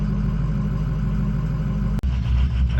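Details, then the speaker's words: Ford 6.0 diesel idling cold while warming up, ICP pressure reads high; lumpy, uneven idle that stumbles and shifts midway. Owner blames the injection pressure regulator; replacing it with an OEM IPR fixed the rough cold idle. "seems to be working fine but the pressure is high I am going to change the IPR"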